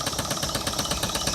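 Quick, even whirring with a light regular patter and no binding or grinding; the old motor spins freely and sounds healthy.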